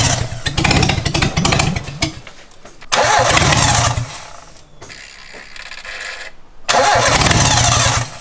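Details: Mitsubishi Lancer 4G15 turbo, first start attempt with spark plug leads fitted and the dump open: the starter cranks in long, rhythmic bursts, pauses and retries, but the engine never fires; cranks but won't start, cause suspected, not confirmed.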